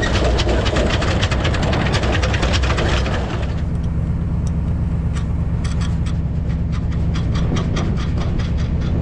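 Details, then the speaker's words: Loose trailer hitch shank sliding in the receiver on a bumpy gravel road, loud rapid clunking about three knocks a second, before fitting an anti-rattle hitch clamp; hitch shank rattle. "this sleeve makes all kinds of noise it slides forward and backwards and it's just a really noisy noisy ride"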